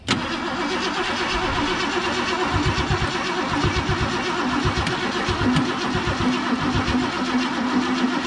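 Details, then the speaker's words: 1969 Mercury Cougar SS, 351 Windsor 2V V8, sat about 20 years, on jump box: starter churns in a steady rhythmic whirr but never catches, good oil pressure; crank no start, the gas tank pickup was found plugged. "now she's just been sitting a long time and that that gas the gas tank pickup was plugged no surprise there really seen that before"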